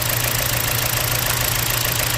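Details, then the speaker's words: Dodge Journey petrol engine idling with code P0301, engine shaking: steady low thrum with faint lumpy pulse; cylinder one misfire, swapping coils moved the fault, confirming a bad ignition coil. "P0301 son on misfire let's take a look motor's actively shaking to be a to act in this fire unplug cylinder one no"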